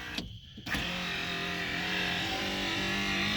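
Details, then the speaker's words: 2008 PT Cruiser power window with a used motor transplanted from a parts car: a thunk, then a steady whirring hum that labours slightly as the glass travels; the motor sounds strained and may not last. "turn the car obviously you can hear it sounds like it sounds like a 1980s window there is strain in just a little bit"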